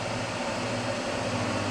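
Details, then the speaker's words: EEL DIY V5 battery box (EVE LF280K cells, JK BMS) near empty under heavy inverter draw, about 63 A, lid back on: steady low hum with fainter mid tone; no hotspot found, cause unclear. Electrical hum under heavy load. "okay let's put the lid bag on and see if it's still does this"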